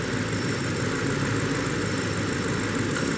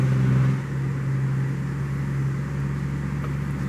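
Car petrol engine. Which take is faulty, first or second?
first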